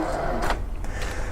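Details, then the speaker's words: 3D printer heated bed carriage rolled with mounting screws loosened to check alignment: short thin squeak rising in pitch at the same spot over a low motor hum; cause unclear, alignment suspected. "yeah it still makes the squeaking sound that's kind of interesting same spot"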